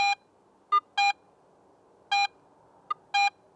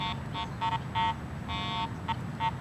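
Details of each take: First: AT Pro metal detector in Pro mode, silver coin passed at varying depths: short steady beeps about once a second, loud when shallow and faint chirps when deeper; normal proportional target audio. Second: Garrett AT Pro metal detector ground-balanced for neutral soil, swept over a highly mineralized dirt pit in test lanes: irregular short and long beeps with no target, ground noise from incorrect ground balance.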